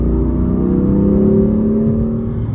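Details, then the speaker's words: 2015 BMW M4 (F83 convertible) S55 after valve cover replacement for bad crankcase vent valve causing howling; road test at about three miles, smooth steady drone under light throttle, no howl or whine, noise gone: normal engine running. "all right so the car is running and driving good that noise is gone"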